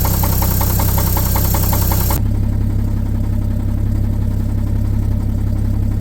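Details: 1950 Chevrolet 3800 one-ton, parked since 1977; owner suspects shims removed and rods ground down by a previous owner: heavy idle with dull uneven knock three to four times a second; rod knock.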